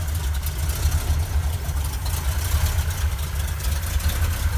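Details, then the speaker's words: 1971 Ford crew cab with rebuilt 352 FE V8 (new cam, lifters, bearings, rings, oil pump), open glasspacks, cold-blooded: deep loping idle with faint light ticking from exhaust leaks at poorly sealed headers. "Got a couple exhaust leaks, of course. Go figure. Those headers aren't really sealed that well."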